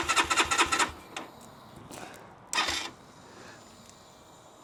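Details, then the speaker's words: Keeway RKR 125 with 6,430 miles, push-button start; fuel pump runs and relays click: short bursts of cranking that never fire, owner first suspects the battery; no start caused by faulty spark plugs. "um yeah that doesn't want to start sounds like it wants start but this isn't looking good"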